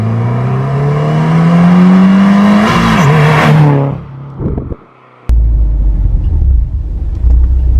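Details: Subaru WRX turbo after Tomei exhaust manifold, DeatschWerks 40 micron inline filter, DW300 fuel pump, stock coil packs refitted, plugs regapped, new MAF sensor: engine note climbs strongly and smoothly through revs then settles, full power restored; owner thinks aftermarket coil packs need a tune.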